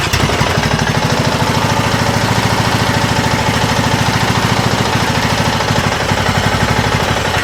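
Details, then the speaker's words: Neglected Craftsman riding mower engine, choke worked by hand, smoky: single-cylinder runs rough and uneven with sharp irregular knocking from bottom end; suspected bad head gasket or damaged piston rings, engine later swapped for used Briggs Intek with HIPA carb. "She's a little rough. And uh I was trying to just work with the choke manually by hand over there, but it definitely sounds like there is some knocking going on in that bottom end."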